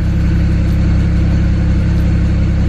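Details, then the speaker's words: 2008 BMW 335i, N54 twin-turbo inline six, at the tailpipe after diagnosing a failed bank 2 sensor 1 oxygen sensor behind misfire and mixture codes: deep, steady exhaust hum, no misses or pops, no smoke; smooth, normal idle. "as you can see no smoke that's so much crap came out of it from before idly nice and smooth"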